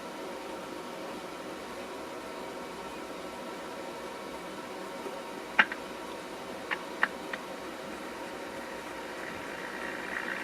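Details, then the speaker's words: Recapped Philco 48-250 radio warming up on variac at about 90 volts, no stations: faint even static hiss with few soft clicks; current low, sounds healthy. "I guess you can hear the the static here that's good"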